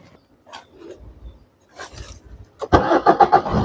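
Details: Maruti Suzuki diesel after black smoke repair, blocked EGR valve and manifold cleaned: quiet few seconds, then engine catches cleanly into an even steady beat without misfire; normal start, little smoke afterward.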